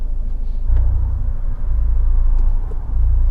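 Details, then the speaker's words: Fiat 124 Spider 1.4L MultiAir turbo, cylinder 3 and 4 coil packs swapped: low idle rumble with small uneven dips, rough idle, persistent cylinder 4 misfire at idle though none logged at that moment. "I hear like the uneven I can hear it at the end but it's not showing anyone I didn't see a misfire anywhere it feels very not happy right now"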